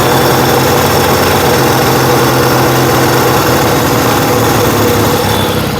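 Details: Yamaha XS1B twin after carb rebuild, dead-cylinder tune and throttle screws set for about 1000 rpm idle, airboxes back on; steady, even idle, smooth beat with no misses, carbs balanced, healthy.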